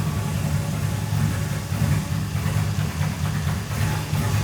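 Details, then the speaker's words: Roughly 30-year-old Nissan 240SX with new plug wires and distributor, timing unchecked: uneven, lumpy idle with irregular stumbling thump and shaking; misfire at idle traced to cylinder four, injectors suspected. "Hey, it sounds fine until I get out of the car. See how much it's shaking? So it's it's still misfiring, but there's definitely either a fuel issue, spark issue."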